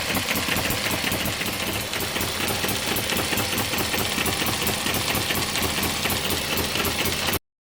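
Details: One of several model steam, Stirling or hit-and-miss engines driving a homemade Baker fan as a working load. Fast regular chuff about four per second over loud airy fan rush, holding steady; normal running under load.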